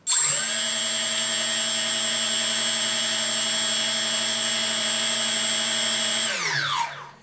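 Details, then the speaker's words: 3D Robotics quadcopter with APM 2.5 board on firmware 2.9.1 and 3DR 20 A ESCs, armed after calibration: four motors hold one steady high whine then cut out, on/off throttle ignoring the stick; suspected board, software or configuration fault. "see that I have no control on the throttle it is an on and off throttle issue when I move the photo stick it doesn't change anything on the speed of the motors"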